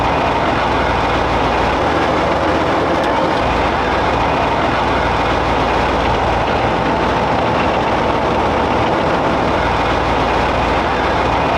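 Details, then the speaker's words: StuG III tank in restoration, running with no tracks fitted, not yet under load, after right-hand brake adjustment: loud steady roar with dense even mechanical rattle, no knocks or grinding; sounds healthy. "Sounds great, man. It sounds good. The brakes are operating. We haven't tested it under load yet."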